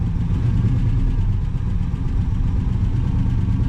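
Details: 1966 Pontiac Grand Prix, 389 CI V8 with automatic, sat for about 30 years; running on an electric fuel pump, and the idle is set very low. Steady deep rumble with an even beat, no knocks or misses; normal idle.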